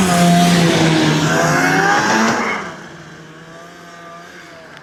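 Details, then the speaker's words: 32-year-old Ski-doo snowmobile bought for $100, riding at a pole line: engine revs hard with a rising whine and climbing pitch but no matching pull; the drive track is slipping badly under power. "can hear it too, the track is slipping super bad. That can't be good."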